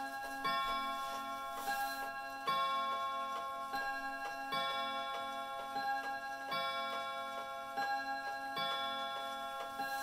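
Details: Herschede bim-bam mantel clock on three chime rods: uneven tick-tock spacing, long gap then short, about one beat every two seconds under ringing chime tones; clock is out of beat, owner thinks it is fixable.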